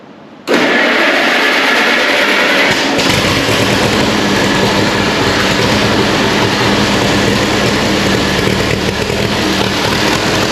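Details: Allis-Chalmers WC tractor after more parts were fitted, started with the door open. It runs loud but uneven, stumbling irregularly instead of settling. The carburettor is leaking; owner suspects carburettor mixture plus an intake leak. It still runs rough.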